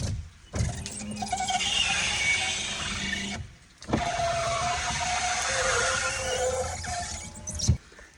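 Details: Car power window runs up and down with a strained motor hum and a rubbing, squealing squeak as the glass drags; the fix is spraying plenty of powdered graphite.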